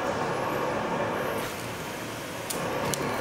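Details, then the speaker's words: Old-house central vacuum being fixed for no suction, heard upstairs: steady, even rushing whoosh with no surging or rattles; motor pulling strong and running normally, with lots of debris later found inside. "oh yeah you can hear it upstairs it's actually doing pretty good"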